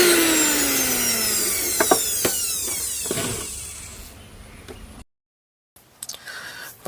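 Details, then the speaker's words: Mixer grinder motor after new brushes were fitted: a clean high whine glides smoothly down as it coasts to a stop, with no growl or rattle. Before the repair a loud growl came from a worn bush; that noise is now gone. "മോട്ടോറിന്റെ sound correct ആയിട്ടുണ്ട് ആദ്യം ഇത് അഴിക്കുന്നതിനു മുമ്പ് നമ്മൾ ഓടിച്ചു നോക്കിയപ്പോൾ ഭയങ്കര ഭയങ്കര സൗണ്ട് ആണ് വന്നിരുന്നത് കൊർ എന്നൊരു സൗണ്ട് വന്നിരുന്നു ഇപ്പൊ ആ സൗണ്ട് എല്ലാം പോയി"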